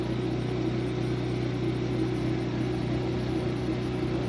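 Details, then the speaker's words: Maytag dryer on generator power, after clogged wet ductwork found: steady even motor hum, constant low tone, no knocks or grinding; drum spins normally on this setting, no leaks, clutch judged good. "she sounds good too there's no no leaks let's try different settings yeah she spins on that setting"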